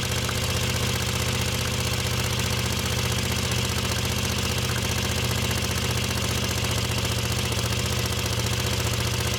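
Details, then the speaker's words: Moto Guzzi Le Mans 3 twin, first start, points gap, static timing and spark checked, cheap pod filters: fast-ish steady beat on both cylinders held off idle; won't settle, stalls without throttle. "Although it's firing on both cylinders, I am having to hold the throttle slightly open to keep it from stalling, until I manage to add some tension to the throttle cables on the top of each carb."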